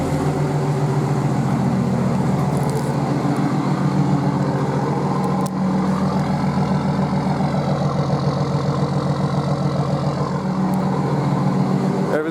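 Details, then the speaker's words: Nissan Patrol RD28 diesel after wire tuck and glow plug push-button install: steady, even clatter at warm idle, up to operating temperature with good oil pressure, no misses or knocks. Normal diesel idle. "So she's running, she's got good oil temperature, sorry, oil pressure. She's getting a bit of heat into her now. She's up at operating temperature, everything's looking sweet."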